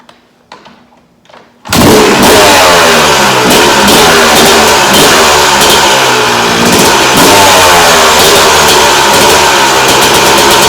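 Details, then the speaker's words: 2001 Yamaha YZ250 two-stroke after draining old fuel and adding new gas: fires right up, crisp high buzzing revs, even throttle blips, no misses or bogging; normal running, sounding better than before. "like I said I think she sounds a lot better than what she did before"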